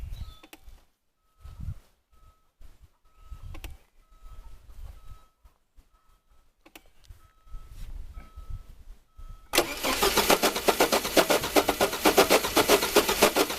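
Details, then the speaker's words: Engine cranked by JFEGWO 8250 jump starter: quiet ticking, then strong, even crank at about four beats a second that keeps going without catching; cranks but no start. "okay wow that was actually pretty impressive uh it had no problem kicking this engine over and it wanted to just keep going"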